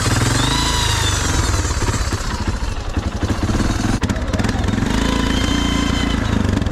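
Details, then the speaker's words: Honda FourTrax 300 6x6 ATV, smoking badly and acting funny before: engine chugging with rapid uneven clatter and knocking over the exhaust as something breaks; owner suspects the clutch, sudden mechanical noise after breakage. "I don't know what that noise is. I don't know if the clutch broke or what broke, but something just broke."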